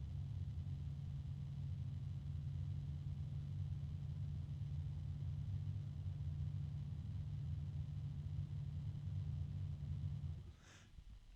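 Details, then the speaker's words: Fan test: steady low hum carrying a faint, constant, very mild tone that never changes pitch until cutoff; first thought harmonic resonance, then suspected something in the fan itself; cause unclear. "I'm hearing a little bit of uh a tone like a harmonic resonance possibly there it is"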